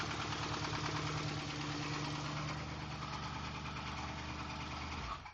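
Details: 2003 Crown Victoria, recorded 2009: rod knock at about three per second over a rough idle after timing chain guide pieces clogged the oil pickup during a WOT run after the J-mod; cleaning the pan and new oil cured it.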